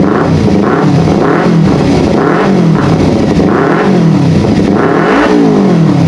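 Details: Kawasaki Ninja 250 FI (complaint: sluggish, hesitant acceleration; fuel pressure stable) after throttle body removal and refit: quick repeated throttle blips, revs rising and falling cleanly with no stumble or popping; running normally.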